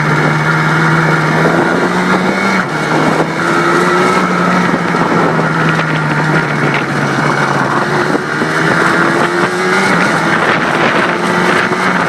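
Busy two-stroke buzz holding a steady mid-pitched drone with small throttle blips, crisp and even, no knocks or rattles.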